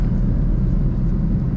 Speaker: O barulho de rolamento. Eu escutei. Nossa, é rolamento. Rolamento estourado.